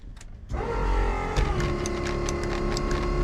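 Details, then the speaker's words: LSA-swapped Mustang whose door lock has been acting up. While the owner tries to unlock it, a rapid buzzing rattle of about four pulses a second starts and keeps going by itself; the door lock actuator is cycling uncommanded, cause unknown. "Come on, unlock. It's been doing this weird thing where like Weird. that."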